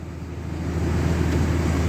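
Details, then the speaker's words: 2003 Dodge Ram 3500 dually, previously erratic idle at 1100-1200 rpm without working fan; no fan codes stored: steady rushing whoosh of the engine fan building over low idle rumble; normal engine fan operation. "So it would be idling a lot of times at 11 and 1200 RPM, and I couldn't figure out why. But oh, you can hear that fan now."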